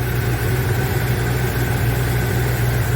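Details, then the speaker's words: 1978 Chevy C10 with freshened-up 350 V8, 400 turbo transmission and new Edelbrock carburetor, good oil pressure about 60–65: deep, steady V8 idle with even low burble, no tapping or misses; normal idle. "Anyway, good oil pressure. This engine and transmission is good. The transmission is practically new."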